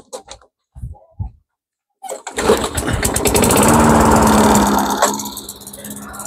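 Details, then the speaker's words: Engine on Mastercraft 3-in-1 mower after adjustments: catches, flares, then settles into a steady even run with governor now responding; later judged not getting quite enough fuel, carburetor to come off. "okay so now I can find a governor response interesting"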